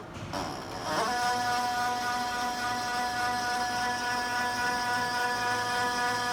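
A loud steady high whine with a quick pulsing beat about four times a second as the printer starts up; cause unknown.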